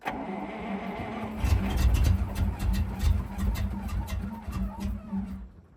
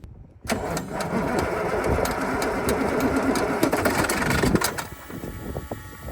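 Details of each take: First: Soviet Ural military truck V8 cranking at -8°C after fuel poured into cylinders: starter churns slowly, about three beats a second, never catches; not getting enough fuel. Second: KamAZ military truck diesel cold start at -8°C: cranks briefly, fires quickly and settles into a steady rough clatter without stumbling; starts easily, unlike the Ural.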